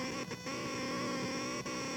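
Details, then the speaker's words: Loud steady buzzing whine with stacked tones and brief dropouts from a vacuum tube amplifier, getting louder when rotating a CAD model; noise from the computer's video card, later traced to motherboard power/ground plane via audio out. "But then when I rotate, it really starts to sing. And I think that's actually transmitting through the air into the vacuum tube amplifier, or into the vacuum tubes themselves."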